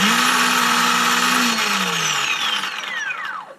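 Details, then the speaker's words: Ryobi 18V brushless chainsaw under repair: motor winds down from a steady whir to silence after a few seconds; works with housing screws out, cuts out when screwed together or jarred; suspected loose module, intermittent power cut-out. "works fine put the screws in doesn't work well the mystery deepens"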